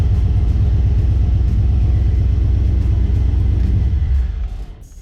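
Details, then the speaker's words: Engine on a newly installed Holley Terminator X Max EFI: uneven low-speed rumble sags and dies after about four and a half seconds as RPM drops out, logged as stall; raw fuel smell, grounds near PCM suspected, not confirmed. "It'll start and run and it'll idle, but I don't have anywhere to hold this yet and it's just getting a glare. It's the RPM's dropping out, which is this one on the bottom here where it says stall."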